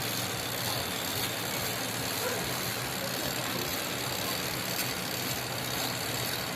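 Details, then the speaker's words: Spin dryer running steadily with an even rushing whir, no knocks, grinding or stalling, after fixing the fault that stopped it starting; normal spin cycle. "oh Gumagana na siya mga idol"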